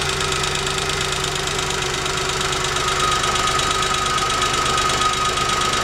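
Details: Chevrolet Spark 800 cc engine idling with a rough, uneven metallic rattle over the hum. The owner asks whether this is engine knocking; cause unclear.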